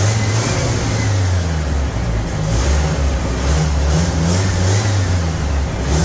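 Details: 1975 MGB four-cylinder: pulls cleanly through rising and falling revs, even exhaust note, no misfire stumble; firing on all four cylinders; normal running and revving.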